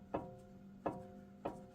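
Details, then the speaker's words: 2018 Jeep Wrangler Unlimited Sport, front axle passenger side rocked by hand: three sharp metallic clunks from play in the worn universal joint on the axle shaft into the front differential; needs replacement. "See how you can hear that clanking? So that universal joint is starting to go"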